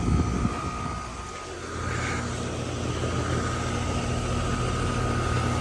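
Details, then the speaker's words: Air conditioner outdoor unit after new capacitors fitted, contactor pulled in with 25 V, fuses good: compressor and fan settle into a steady low drone with faint even tone, no rattles or clunks; normal compressor running, heat produced. "Yeah, baby. Sounds like a compressor."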